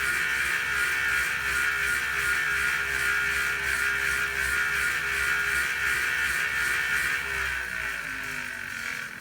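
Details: Tacx Booster roller bike trainer, about one year old: loud buzzing whir pulsing about three times a second; the owner does not know the cause.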